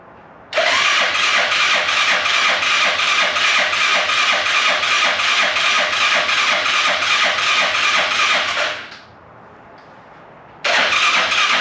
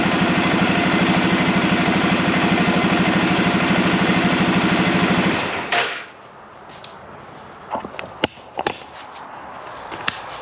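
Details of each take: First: Arctic Cat Prowler UTV carbureted engine after rebuild with new pots, oil checked, first start attempt: even cranking near 167 beats a minute for eight seconds, repeated, never catching; no fuel at carburetor, fuel then squirted down carb. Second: Arctic Cat Prowler engine running again after rebuild with new pots (cylinders), warming up on the stand while bleeding air from the cooling system; steady, even idle with regular firing for about six seconds before shutting off, no knocks or misses: normal idle.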